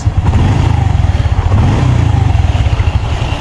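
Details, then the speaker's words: Honda Revo FI small single revved after an engine rebuild for low compression; firm, even, deeper exhaust beat, no knocks or rattles, much smoother than before, though idle still needs air-screw adjustment; normal revving. "Nah untuk sekarang mesinnya jauh lebih halus daripada sebelumnya ya"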